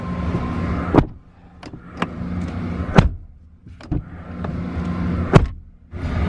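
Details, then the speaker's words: 2020 Chevrolet Colorado door: each slam ends in a short loose clatter inside the panel; a door-panel bolt left loose let a small brass ring fall out and rattle inside the door. "can you see that it's one of the bolts that holds the door panel to the door itself so when they when this was not tightened up or who knows what they did in the factory when it left loose this little brass piece came out"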